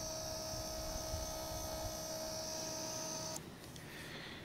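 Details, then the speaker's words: Genmax 4500IBEFI electronic fuel-injected compact generator, main switch turned on: quiet, steady high hum for about three seconds that cuts off sharply as the fuel pump pressurizes; normal fuel pump priming. "Okay, so now we're gonna turn on the generator, the main switch, and we should hear the fuel pump kick on, pressurize, and just make a little bit of noise. Which, you can kind of hear it priming."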